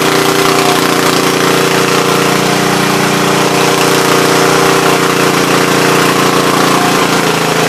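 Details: Troy-Bilt tiller after replacing bad spark plug: small single-cylinder holds a steady, even idle with no misses or stumbles, running normally.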